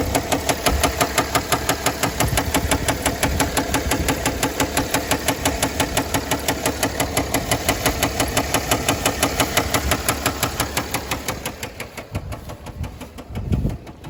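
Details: 2009 Mercedes ML320 OM642, knocking began after oil change and a 4-hour drive with no oil on dipstick, shop said engine toast; steady heavy bottom-end knock about three a second at idle, rod knock suspected.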